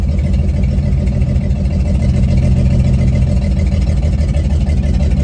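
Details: 1954 GMC 150 three-quarter-ton inline six, revived after sitting 35+ years with new plugs, wires, rotor and fuel line, pulling away in first gear: deep, steady low rumble, even running with no misses or knocks.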